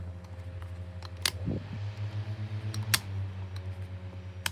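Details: 2016 Argos 7-inch desk fan humming low and steady with a rhythmic wobble about four times a second; bearings starting to go bad, suspected not confirmed.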